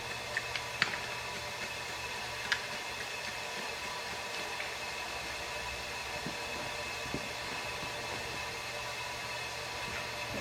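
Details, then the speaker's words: Engine off on a diesel truck, intake pressurised to 50 psi with a regulator for a boost leak check: constant airy hiss with a few small clicks; air escaping from a large hole in the bent intercooler, which won't hold pressure. "so i got that thing set right now at 50 psi yeah you can hear it i was hoping that i'd be able to uh be able to pressurize it up a little bit the intercooler's got such a big hole and it won't even pressurize up"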